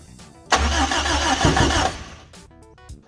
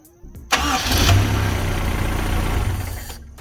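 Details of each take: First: Toyota KE10 Corolla first start attempt on carburettor, fuel hand-fed into the bowl: starter churns about 1.5 s, engine catches briefly with a pop then dies. Small backfire; ignition timing possibly set to the wrong of two marks, so no start. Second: Toyota KE10 Corolla first start after fitting a new cap, condenser and points and fixing a fuel line that wasn't drawing from the tank. Short crank into a steady, smooth idle with no knocks; the temperature didn't climb and nothing leaked. Healthy.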